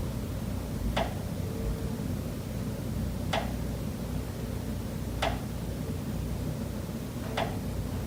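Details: Pipes behind the kitchen wall of condo unit S407 knocking constantly day and night, here more rapid: a sharp single knock every two seconds or so over a low room hum, steady and regular, audible through the whole kitchen and living area.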